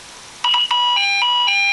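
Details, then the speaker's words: Fire alarm sounder on test: shrill, loud two-tone alternating electronic alarm, roughly four changes a second, stopped immediately; dip switches enable other sounds; sounder working normally. "It's loud, we will stop that immediately."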